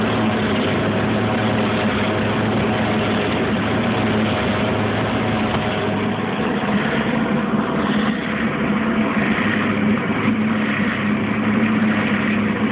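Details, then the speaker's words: Fisher and Paykel Smartload dryer: loud steady whirring roar under the turning drum, coming from the belt tensioner/idler pulley behind the back access panel; worn idler pulley suspected, not confirmed. "remove the back access panel you got your lower right there and you have your belt tensioner right there and that is where the noise is coming from"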